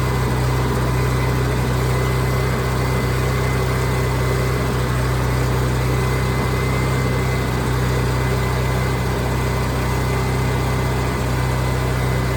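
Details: Onan generator after new inline fuel filter installed, air pocket cleared, started cold unprimed: steady, even drone with constant low hum, no misses or surging over twelve seconds; runs much better, normal running.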